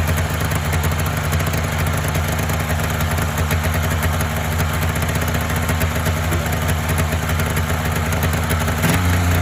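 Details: Polaris Indy 500 two-up twin-cylinder two-stroke snowmobile, previously overheated with head gasket failure and no compression on one cylinder; first start after used-parts top-end rebuild and fuel system work: fires up into a fast, even crackling idle, no missing cylinder.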